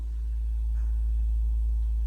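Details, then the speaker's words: A propane-fired, fanless standing-pilot furnace running after the thermostat was raised. A steady, soft low rumble with no clicks, flutter or surges; very quiet, very low flow, warm output. The burner is firing evenly and normally. "It's very quiet, very low flow. It's warm inside here."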